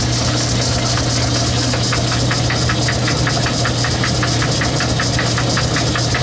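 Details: Logan 10-inch lathe cutting at slow speed in back gear, work fed by hand: a sharp metallic clack repeating about three times a second over the motor hum, once per gear turn. The cause is a broken tooth in the gears.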